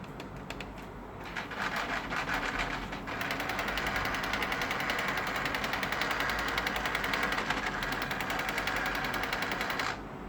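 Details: HP LaserJet Enterprise M506 laser printer, when turned on or printing: rapid, gritty grinding rattle from worn paper feed drive gears, fixed by replacing the RM2-5715 paper feed drive assembly.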